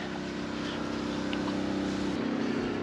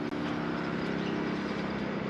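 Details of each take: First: 2009 Lincoln Town Car sitting low at rear: air suspension pump running steadily as car rises, with faint hiss of escaping air at the rear; right rear airbag leaking, to be replaced with new air springs. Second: 2009 Lincoln Town Car air suspension compressor running smoothly with an even buzzing hum, no knocking, while the sagging rear rises; separately the right rear airbag was found leaking.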